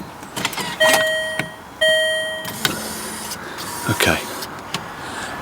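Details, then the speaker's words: Land Rover Freelander 2 new projector headlight with Philips Ultinon LED bulb, covers off, one adjuster unplugged: beam levelling motor whines steadily in short bursts and the reflector gap widens, motor running normally after fuse-blowing problem. "I can hear the motor running and that Gap has got bigger okay so that's good"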